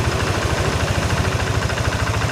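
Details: Tired, high-mileage Yamaha NMAX (ISC-equipped injected scooter) at idle after a hose workaround for self-revving: steady, even putter with slight mechanical clatter; idle now settles normally instead of staying high and dropping slowly.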